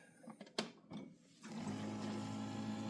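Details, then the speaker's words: Keurig coffee maker that won't brew: steady buzzing pump hum that never stops or cycles. The pump is air-locked and not drawing water through the suction hose. Air-locked water pump running constantly. "And you can hear the noise that it makes, but it does it constantly. And it doesn't want to stop."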